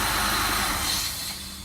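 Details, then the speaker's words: 2003 Ford Taurus 3.0L 24-valve DOHC with code P1506 and high idle, still running with the idle air control disconnected: a strong airy hiss that fades as the engine winds down at shut-off, an intake vacuum leak. "and you can really hear it now some noise when you turn it off is normal but obviously that is excessive"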